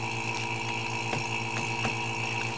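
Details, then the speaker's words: Freeze-dryer bagging vacuum pump with a vacuum needle: steady, even pump hum with faint snap-crackle as the bag draws down. The crackling stops when vacuum is complete; the pump is working normally. "so you turn that on you see that thing pulling a vacuum out of there and it works really well"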